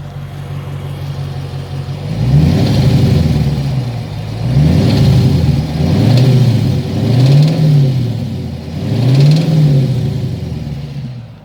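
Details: 2009 Dodge Challenger SRT8 6.1L Hemi V8 blipped repeatedly from idle: a deep knock under the revs. The cause was a shot cylinder #8 rod bearing, with minor damage.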